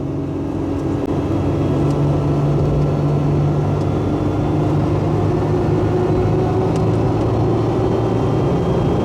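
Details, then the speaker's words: Supercharged 2002 Nissan Xterra at almost 80 mph after an exhaust leak was sealed with copper RTV: even engine drone and road hum, no hiss or chirp, the earlier noise gone. "so I'm no longer having exhaust leak so anyway it's not making the noise now"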